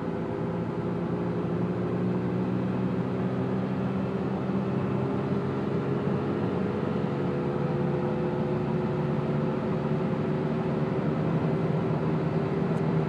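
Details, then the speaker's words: 2002 Chrysler PT Cruiser at cruising speed, quiet from 0 to 20: steady low drone with fixed hum tones under road noise, shifting fine, no vibration or pulling; owner suspects a bad wheel bearing. "It's just making a really nasty noise. It's like a humming noise, you know."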